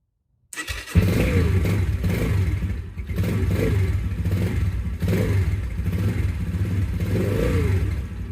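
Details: New Yamaha TTR125 single after fitting a cold start jet kit, electric start on choke: catches quickly and holds a lumpy but unbroken idle with no dying or backfiring; normal cold start and idle.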